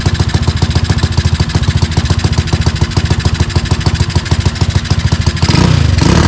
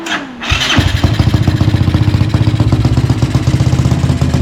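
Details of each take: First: Tao Tao ATV with a newly installed 250cc engine, puffing some black smoke: lumpy, uneven thumping about two hundred a minute that barely swells when revved; rough running with poor throttle response, owner suspects the air-fuel mixture. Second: Tao Tao 250 YFZ-style quad with new engine, tuned, aftermarket exhaust: quick crank, catches and settles into steady even low idle with slightly choppy exhaust beat; starts and idles properly.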